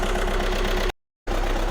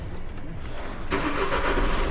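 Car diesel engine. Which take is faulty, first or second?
first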